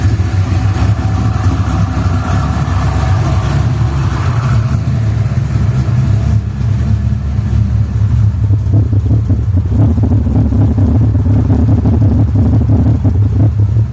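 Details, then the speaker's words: 349 V8, cold start after first valve adjustment (half-turn preload), new Autolite 3924 plugs and low-ohm wires: deep, even revs, tick gone and exhaust popping lessened; normal revving. "cold start no ticking now so we'll let it warm up for a second I'll give it a quick quick couple revs to show you that it's not um popping in the"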